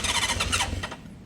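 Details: 1976 Honda CB550 four parked 48 years, on a weak battery, starting spray used: a few ragged popping firings for under a second, then it fades and dies, catching only on the spray.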